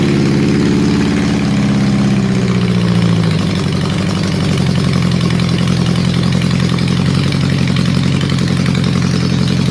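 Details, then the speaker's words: Honda CB750 four during restoration, first runs: after a blip it settles to a lumpy, uneven idle because number 4 is dead. Ignition is ruled out since number 1 fires, and fuel is reaching it. Owner suspects a vacuum leak. "Right, we know the issue is not the ignition because number 1 is firing. It's number 4 that's playing up."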